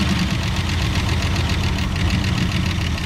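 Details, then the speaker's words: Car that sat for years, started after carburetor work: steady idle with a light quick valvetrain-type tick that keeps time with engine speed; idle to be turned down. "well got a little bit of a tick isn't that her idol crank the idle down a little bit"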